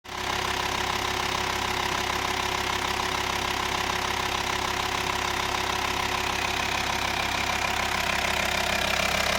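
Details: VW T5 2.5 TDI BPC diesel at idle with an even tapping about three times a second riding over the engine; source of the noise not identified.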